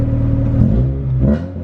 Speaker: she don't sound too bad i don't think